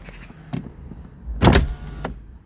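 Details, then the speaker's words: New Kia e-Niro, power window on the working side: a short even motor whir and a soft thump at the stop as the glass opens and closes with no binding. The opposite window goes down but won't close. "then it closes. No problems."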